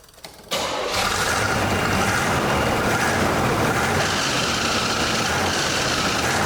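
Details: 1984 Chevrolet Monte Carlo SS revived after sitting 22 years: starter whirs briefly, then a fast, steady, busy idle with no dip; high idle, owner suspects something that popped off.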